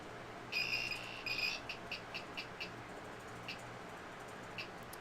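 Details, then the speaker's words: Replacement Anet A6 3D printer main board on 12.6 V supply: blank screen, high chirp of two longer beeps then short chirps repeating forever; USB port detected but cannot connect, board unresponsive and unusable. "we'll just chirp like that forever if I try to connect it to a USB it does recognize that there's a port there but it doesn't i cannot connect to it so the board is in a state that is not usable at all"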